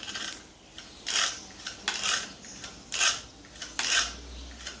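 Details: Gamo CFX Royal air rifle being cocked (break-barrel): a rough scraping rasp in short bursts about once a second, present since the rifle arrived, cause unknown; abnormal scraping noise when cocking.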